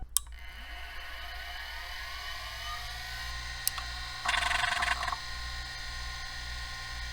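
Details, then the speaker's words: Vintage stepper-motor hard drive dated December 1989, powered up: rising whine climbs smoothly to speed, then a short burst of head chatter as it initializes. Normal hard drive spin-up. "well sounds like it initialized that's a good sign"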